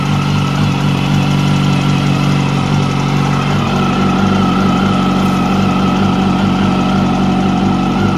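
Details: 2006 Yamaha YZF R1 with 19,000 km, engine running: light, fairly regular ticking about four a second from the top end near the cylinder head.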